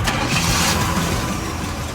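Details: Chevy C20 with 350 V8 and 3-speed auto, restart after a drive: short burst settling into a steady, even idle after startup, no knocks or misses; sounds fine.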